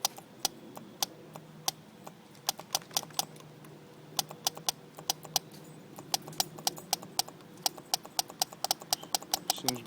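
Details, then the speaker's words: Gas heater fuel pump bench-tested wired directly to a new 12 V pickup battery: sharp, dry, slightly uneven ticks about four to five a second over a quiet room; the pump is ticking normally. "working good this is kind of what it sounds like when it pumps"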